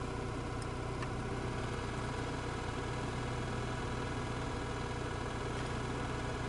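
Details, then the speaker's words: 2002 Opel Vectra C heater blower motor after removal and brush replacement, first speed: steady whir much quieter than the former growl, with a faint rough hum left; new brushes likely not yet bedded to the commutator. "звук еще какой-то присутствует это скорее всего щетки не притерлись к этому коллектору да намного тише стал печка работать"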